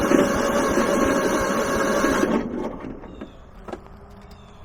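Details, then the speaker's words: Kohler 15 hp engine on a Husqvarna lawn tractor, cranking after starting fluid: starter spins engine evenly about two seconds with no firing, then drops away; no spark because the spark plug wire was left unplugged. "oh i know why stupid me i may have just messed the whole process up because you know what i didn't do was plug the spark plug wire in"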